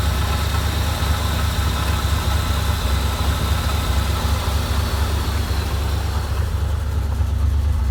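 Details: 1987 Corvette engine after flooding cleared (cylinders blown out, plugs refitted) idles on deep, uneven, overfuelled rumble; dies off throttle and floods again, fuel in oil, thought to seep past piston rings; oil to be drained, owner unsure, maybe injectors.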